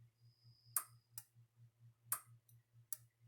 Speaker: But I don't know if you could hear it arcing inside this thing, but you could hear it arcing inside this. That's this thing breaking down.